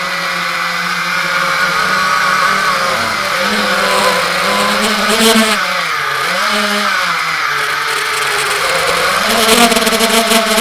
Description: Testing my GB-X210 on the video heard weird noise from 1:40 and random crash at the end of the video.